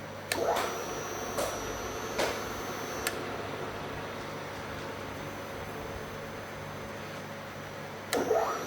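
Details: Milling machine M3 on household power, test before delivery, two-speed motor: quiet steady hum with faint even whine and a few handling clicks; spindle running smoothly and healthy.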